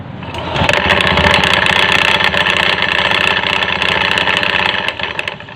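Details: Honda Beat FI automatic scooter: starts and settles into a fast, uneven rattling clatter over the idle from the CVT V-belt area, like loose bits chattering in the belt case.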